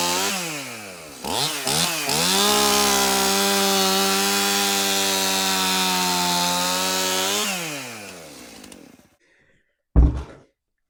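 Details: Stihl MS271 chainsaw, brought in hard to start, tested at shop door with bar and chain refitted after service: fires, blips cleanly, holds strong steady high scream, winds down smoothly; starts easy, runs really good.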